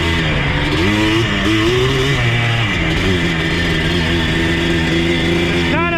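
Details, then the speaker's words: Abandoned Yamaha Blaster two-stroke ATV idles fine but cuts out under load in second gear above mid throttle; pitch wavers and drops as it stumbles. Owner doubts ignition, suspects fuel or air. "So as you can probably hear, we're okay in like first gear, but then as we come into the power in second and really put a load on the motor, anything above mid throttle starts cutting out."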